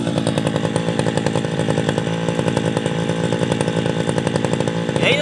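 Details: Tabata two-stroke brush cutter, 7+ years daily use, original block, piston, carburetor and muffler, rings and cable replaced; steady even high-pitched buzz holding speed while cutting grass, no misses or rattles: normal running.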